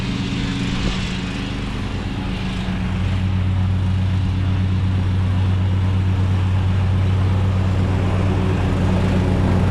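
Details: Craftsman riding mower that sat two years, after a dead battery and bad connections were fixed and the starter and carb replaced. Steady low drone with an even beat, no misses or surging; normal running.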